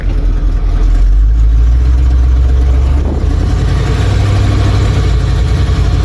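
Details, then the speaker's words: 1977 Ford F-250 with fuel-injected 460 big block V8 and E4OD overdrive transmission, revving strongly after high idle settles: faint puffing tick riding on the exhaust beat; slight exhaust header leak. "oh gosh this thing has some freaking juice to it you can hear them headers leaking just a little bit"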